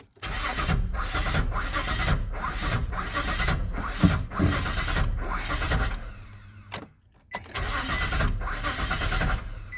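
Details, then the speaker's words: 2002 Nissan Frontier that began missing while driving and then wouldn't restart: starter spins the engine in steady rhythmic bursts with even compression but it never fires. Crank, no start. "I'm gonna go ahead and crank it and basically like it's trying to turn over but it doesn't so here we go"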